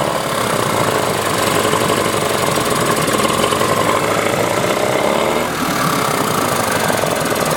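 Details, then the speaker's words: 1994 Johnson 15 hp two-stroke outboard with impact damage, dual coil setup: uneven, ragged running with lumpy beat and no smooth idle; sounds like firing on one cylinder, gummed carburettor also suspected. "doesn't idle well at all. So she's rough, so I'll clean her up a little bit. And it sure sounds like it's running on one cylinder, but it could just be the carburetor's all gummed up too"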